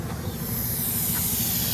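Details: 6-car trailer; continuous high-pitched hiss over low background rumble; air brake line leak.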